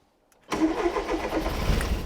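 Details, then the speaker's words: Mk1 Ford Fiesta Super Sport barn find, parked about 20 years, old fuel decanted, fuel system primed, throttle pumped, choke pulled: cranks then catches roughly with uneven stumbling firing; trying to start. "Straight away. She made a noise."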